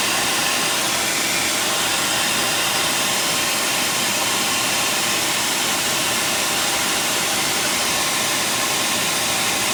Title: Exhaust leak